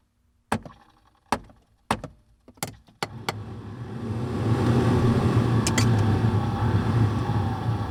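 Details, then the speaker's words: Hino 195 COE heater blower motor, intermittent and flaky, dash tapped: sharp taps then fan struggles up to speed with uneven rushing hum, trying to run but failing; suspected worn motor with dead spot in windings. "You hear how that's changing, and it doesn't even really, it's trying to run, but it's not. I'm starting to think that the blower motor is just wore out."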